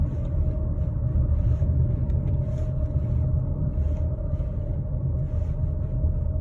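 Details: 2013 Kia Sportage AWD automatic coasting: steady low rumble with constant whirring/grinding, gone under acceleration, persists braking and in neutral, seems front driver's side; confirmed bad driveshaft center support bearing.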